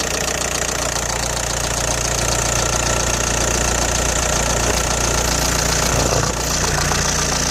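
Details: Audi A4 B6 1.9 TDI AWX diesel at idle, noisy since replacing injector O-rings and copper washers; cold-start smoke gone but power seems lost: sharp metallic clatter about three per second. Cause not yet pinned down.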